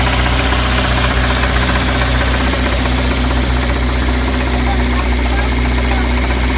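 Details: Ford Fiesta Supersport with a 1660 Burton crossflow engine: steady idle with a fairly regular knock, roughly four per second, over the engine note; source not identified.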